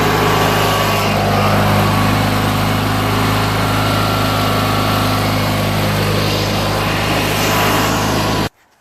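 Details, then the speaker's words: Murray 16HP 46" riding mower, Briggs & Stratton opposed-twin, after carburetor and fuel pump rebuild, new gaskets and jets, cleaned tank and fuel lines, following two years sitting unused outside: strong, steady twin-cylinder drone at even speed without misses or surging, then shut off; running great. "is awesome put this all back and go for a ride running great even idols well"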